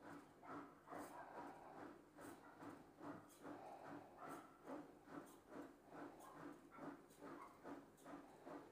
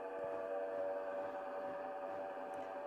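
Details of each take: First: Bosch front-loader washing machine after repair for poor, noisy spin leaving clothes wet: spin cycle now runs smoothly, a soft whooshing pulse about twice a second, no grinding or knocking. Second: Bosch washing machine on spin cycle, clothes left wet: steady, loud droning whine during spin, not normal, from a failed drive-motor bearing.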